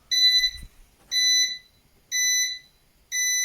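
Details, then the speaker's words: Eaton 5E 850i (850VA/480W) UPS giving four shrill one-second low-battery beeps after repeated restarts fully drained its battery under about 75 W monitor load. "this is the first time I actually hit it beeping like the battery is going out"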